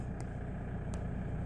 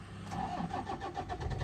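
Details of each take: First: Toyota Innova diesel that cranked but died within a second, after replacing the faulty injector driver module: even, steady low rumble at idle with no stumble, just two light clicks; normal idle. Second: Toyota Innova cranks steadily and catches for under a second, then dies immediately; diagnosed as a failed injector driver module.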